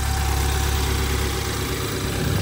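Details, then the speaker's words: BMW twin-turbo, likely a 2014, with 114,000 miles, at a salvage auction: smooth, steady idle with an even low rumble and no ticking or knocking; the engine sounds healthy. "yeah yeah sounds healthy not bad 114,000 Mi on it"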